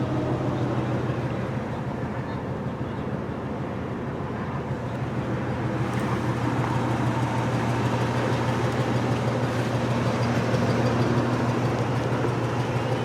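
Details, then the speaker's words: 1985 Buick Riviera (FWD), factory Olds 307 roller-lifter V8 with factory computer-controlled Quadrajet carburetor, idle mixture screws adjustable, cold start; idle knocked down to a steady, even low hum with smooth beat, no stumble or tapping; normal idle. "Alright, ready? Watch this. Knocks the idle right down."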